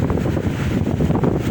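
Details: Arno fan after replacing the capacitor, which had left it weak and slow with little airflow; strong steady rush of moving air with low even motor drone, no scraping or stalling; fan running healthy.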